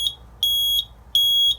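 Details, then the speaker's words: RP1002 agent release fire alarm panel: shrill high beep pulsing evenly, about 0.4 s on and 0.35 s off, a trouble signal from holding abort after agent discharge. "So it basically causes a trouble because you can't abort after it's discharged."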